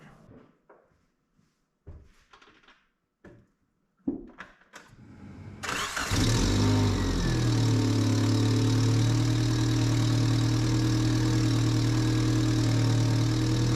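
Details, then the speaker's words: 1994 Suzuki Sidekick just after fitting new tensioned alternator/water pump and power steering belts; a few clicks, then engine catches and runs smooth and steady with no squeal or chirp; normal running, belts quiet. "All the belts are still nice and tight. They seem good."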